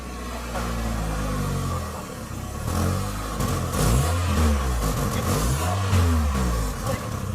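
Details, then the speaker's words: Mazda 626 after 10,000+ km of outback driving: rough, uneven petrol idle it has always had, low puffing throb through throttle blips; owner suspects a small exhaust leak, confirmed, and a needed fuel filter. "It idles really badly. It needs a new fuel filter at the very least, and I reckon it's got a bit of an exhaust leak."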